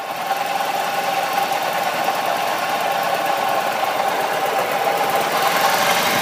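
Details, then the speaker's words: EZGO 295 golf cart with a newly installed rebuilt engine: runs well with no smoke but has a rough, mid-pitched grinding rattle; owner suspects a bearing, not the generator. "i just don't remember that kind of a grinding noise bearing noise give me one minute i'll put the plugs back in the belt back on"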